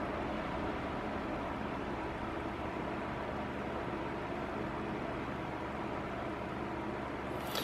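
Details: Cadence Auros 1500 W fan heater, phone about a hand-span away, on medium speed: constant airy rush with a faint steady hum, no rattles or scraping; seems louder on medium than on maximum. Blower running normally.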